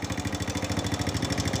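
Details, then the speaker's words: Honda Wave 100 motorcycle at idle: a loud, even metallic tick-rattle from the top end, about eight a second; the timing chain is slack but not enough for this noise, and the rocker arm or excessive valve clearance is suspected. "สำหรับผมฟังนะครับทีแรกผมก็เอะใจอยู่นะครับว่าเสียงดังแบบนี้ใช่ว่าจะเป็นที่ตัวโซ่ราวลิ้นอย่างเดียวนะครับบางทีตัวกระเดื่องนะครับตัววาล์วนะครับตั้งวาล์วห่างเกินก็เป็นไปได้เหมือนกันครับ"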